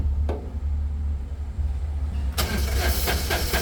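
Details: Suzuki three-cylinder turbo diesel, somewhat warm, cranked for a start: steady low churning then louder rough pulses, never catches; blow-by, suspected low compression, no-start.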